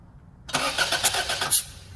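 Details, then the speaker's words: Cranking on a remote starter switch with key off, compression tester hose on the cylinder and finger over its hole to find top dead center: about one second of even pulses roughly eight a second, engine not firing; normal starter cranking. "all that's gonna do is engage the starter so if I pump it around this will build pressure and I'll be able to tell when I'm at top dead center"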